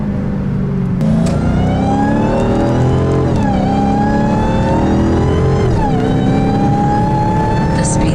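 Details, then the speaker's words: Dodge Hellcat with a newly installed Legmaker (LMI) intake, short throttle bursts near a 50 km/h limit: a high whistling whine climbs and dips with engine speed over the exhaust roar. Normal supercharger whine. "Yeah, there's the whine, baby. There's the whine. So there you have it. I'm really loving it. I love the sound of this intake."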